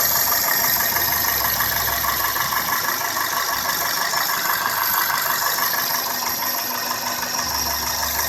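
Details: 2002 Toyota Corolla S, 1ZZ-FE engine, at idle: light, fairly regular ticking about three per second over a steady idle; cause of the ticking or clicking not pinned down.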